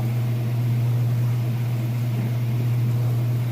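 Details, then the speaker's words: Whirlpool washer spinning at full speed after draining. A smooth, even low hum at a constant pitch with no thumps, knocks or rattles: normal spin cycle. "And it should be just about full speed there. You can see, nice and level, sounds great. Nice smooth operation."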